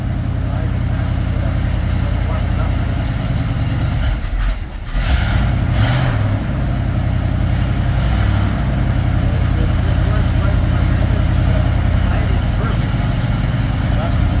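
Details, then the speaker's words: 1967 Bombardier Wide Gauge snow vehicle, cold start at customer pickup after repairs; fuel pump run a minute first to fill the carb. Engine fires and holds a steady, even low rumble with no misses or knocks: normal, healthy cold start. "Put the fuel pump on, let it run for a minute. That way, you know your carb is full."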